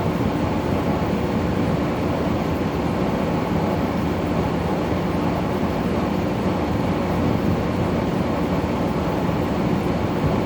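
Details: Brand new LG air conditioner in the living room, bought at Home Depot: a steady, low, rough groan runs evenly under the cooling with no pulsing, an "aching" compressor noise that shouldn't be heard; otherwise the compressor and fan seem fine.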